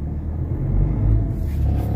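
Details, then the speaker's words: Ford Ranger 3.2 diesel with an electronic pedal, started right after an XADO engine treatment for low power and vibration with no check-engine light: a deep, steady rumble that swells quickly with the throttle and pulls cleanly. Revving is normal. "Makita mo yung galit ng makina guys pag inapakan mo yung accelerator pedal."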